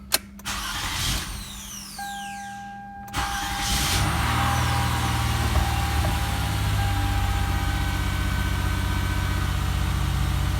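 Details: 2006 Toyota Sienna test start after starter replacement: brief crank, quick catch, then an even, quiet idle that settles smoothly with no chatter or stumble; starts and runs normally.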